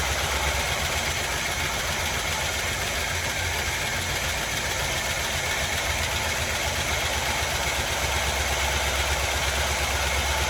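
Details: 1981 GMC Sierra half-ton 2WD V8, bought at auction, idling with choke after valve cover refit: steady idle with fast light valvetrain rattle on top, quieting as it runs; cause suspected, not confirmed.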